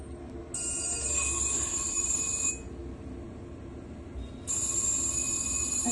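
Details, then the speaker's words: Galaxy ultrasonic probe sonicator with sound-proof chamber, 6 mm probe, pulse mode: high steady whine switching on and off in even pulses as bubbles form; normal operation. "അൾട്രാസോണിക്കായിട്ടുള്ള സൗണ്ടിൻ്റെ കാരണം അവിടെ bubbles create ആയിക്കൊണ്ടിരിക്കും."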